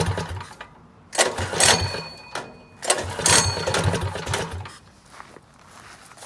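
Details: 212 engine with a Stage 1 modification kit, no muffler: loud, raspy single-cylinder bark surging with throttle; runs cleanly with no misses or knocks.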